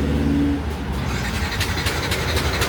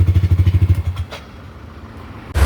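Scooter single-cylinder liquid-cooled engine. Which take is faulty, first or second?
first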